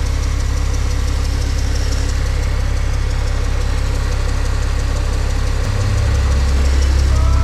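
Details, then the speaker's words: Honda Civic race car at idle: a faint chirp and thin squeal over an even idle, changing pitch when cleaner is sprayed on the belt. This confirms a slipping, contaminated accessory drive belt. "See if it changes the sound of it. It did change the sound of it. It's the belt."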